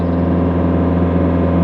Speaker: See, that is purring. No smoke. The machine sounds good. I'm gonna rev it up.